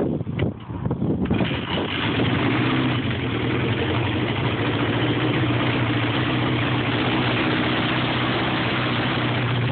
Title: Rough idle